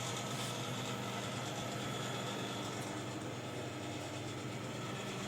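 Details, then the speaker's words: Air conditioner indoor evaporator is noisy and not cooling: a loud, steady hissing rush of refrigerant pushed by the compressor. The replaced discharge valve is a common one lacking the restrictor, so there is no expansion device. "Así que le han puesto uno comú y por eso lo que se siente es el flujo del gas cuando el compresor lo empuja"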